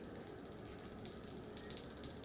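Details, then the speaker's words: DF64V v2 coffee grinder, first batch, left plugged in: sharp, irregular high-pitched snaps over a quiet hiss from the anti-static plasma generator probes arcing; fixed by replacing the inner chute with the new probe design. "basically the this plasma generator the probes is making like click noise if you leave it like plugged in for a while you will hear this this"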